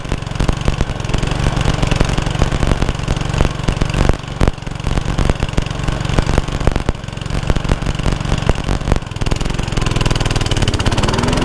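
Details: Honda Lawn Flite 553 HWS single-cylinder lawnmower on the bench: loud drone that won't hold steady, revs sagging and recovering near the end; the engine is hunting.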